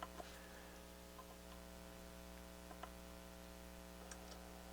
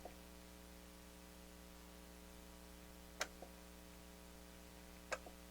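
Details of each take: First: Technics SL-7 turntable during restoration, 12-inch size set to block the photo eye, stylus refitted: faint irregular mechanical ticks over a low steady hum as the mechanism cycles and the tone arm moves in; auto-play working normally for the first time in years. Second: Technics SL-7 turntable during restoration: two sharp solenoid clicks a couple of seconds apart over faint mains hum when start/cueing is pressed, electrics working, but the tonearm stays up because the transport lock was left engaged.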